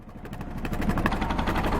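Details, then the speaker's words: 1978 Yanmar YSB8 marine diesel, sat 10+ years in a flooded boat, first run in years, low idle while shifting into reverse: even chugging rising a touch on the shift, no knocks or slipping; reverse works, perfectly working engine. "Oh yeah, we got reverse too. There we go. We got a perfectly working engine there."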